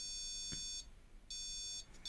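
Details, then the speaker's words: Custom ESP32-based TCM on a Mercedes 722.6 (NAG52) gearbox, startup: repeated high, steady electronic beeps with short pauses; warning pattern when processor power-up checks fail or CAN data can't be obtained, and the cluster shows F. "now if there was something wrong for transmission and say for instance it was the power up and some of the checks on the processor were incorrect or it couldn't obtain can data then this is what it will sound like"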